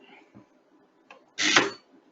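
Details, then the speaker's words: Molded-case circuit breaker under primary current injection test at about 1.3 kA trips with a harsh rattling buzz lasting nearly half a second instead of the single immediate clack of a clean magnetic trip. "but I have heard this breaker tripping in the magnetic, and you will not hear that rattle. It's just a clack, okay, just an immediate clack with no rattle, okay."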